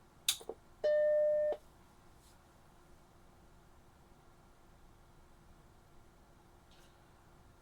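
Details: Macintosh Plus with no display, powered up on the bench after recapping the analog board: one clean startup beep of about two-thirds of a second, then near silence, no picture. Analog-to-logic board cable suspected.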